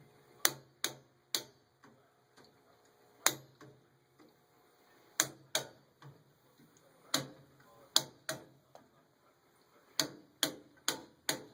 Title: Furnace making noise